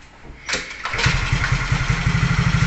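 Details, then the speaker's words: Motorcycle with a battery-operated 4-pin (4-wire) CDI, tested with no battery installed: a couple of kicks, then it catches and settles into a quick, even single-cylinder putter; it starts and runs fine without a battery. "So mandar siya, no? Yan. Ayan. So umandar siya mga kabiker."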